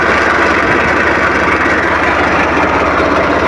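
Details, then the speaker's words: Swaraj 855 FE diesel tractor idling in neutral with the clutch released: steady fast metallic gearbox rattle over the engine beat, stopping when the clutch is pressed. The gearbox is also noisy in every gear but fourth while driving. "तो देखें आपने तो आपने देखा की किस तरह से इसके क्लच को छोड़ते हैं न्यूट्रल पोजीशन में भी तो साउंड ए रहा है"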